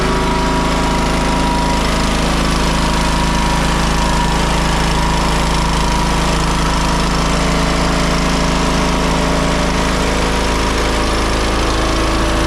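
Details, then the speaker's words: John Deere L108 riding mower, deck slows when mowing; muffler bolts fell out and wouldn't tighten. Loud, harsh clatter about four times a second over the engine drone as the engine rocks: loose engine mounting bolts and loose exhaust rattle. "You see how much that's moving, and he was aware that the exhaust came loose. If he would have paid a little more closer attention, he would have figured out also that the bolts for the engine were loose and that there were some other things going on."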